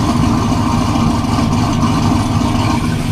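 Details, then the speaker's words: 2009 Saab 9-7X 5.3 V8 at idle on first start after engine and transmission install, with XS Power headers and the stock exhaust. Low, even, surprisingly quiet burble with no ticking. No leaks, no engine light, fuel trims about 3%. Healthy idle. "this is a big can i mean you can you can hear it it's just funny how quiet it is sounds good"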